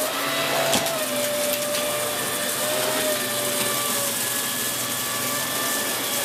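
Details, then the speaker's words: Dyson Big Ball Animal CY23 cylinder vacuum after 3 months' ownership: wavering high squeal over the steady suction roar, coming and going with angle as a loose hose joint breaks its seal and leaks air. "You hear that squealing noise again now? That's basically the joint here leaking."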